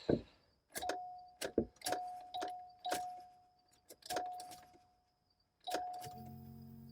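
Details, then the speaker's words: Flood-damaged Cadillac Allante from Hurricane Ian: clicks and key rattle, then a steady low electric hum at key-on as the fuel pump primes normally; no security light shown. "there's your fuel pump every time and we don't have a security light either"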